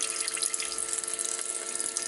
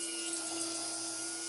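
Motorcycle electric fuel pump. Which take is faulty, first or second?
first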